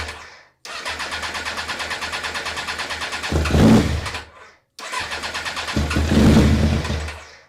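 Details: 1994 Suzuki GSX-R 1100, stored for over 10 years, cranked with brake cleaner sprayed in as starting fluid. Two bursts of steady starter churning at even compression beats, about four per second, with no firing. It cranks but won't start.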